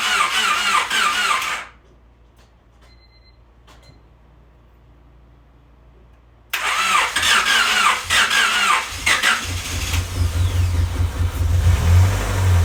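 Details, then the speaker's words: Honda Civic freshly rebuilt D16Y8 engine, first start-up on a weak battery with jump box: cranks, catches and settles into a steady, even idle, no knocks or misses, idling before any revs while checking for leaks. Normal idle. "And yeah, I'm just gonna let it idle for a bit. Make sure there's nothing leaking."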